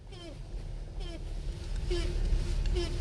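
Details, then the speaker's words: 2005 Grand Caravan, reported as brake noise: short rubbing squeaks about once a second as the steering wheel turns while rolling, over quiet road rumble; dry steering shaft seal under the steering wheel, fix is lubricating it. "y'all hear that see that is the steering shaft seal okay that noise used to drive us crazy back in the day"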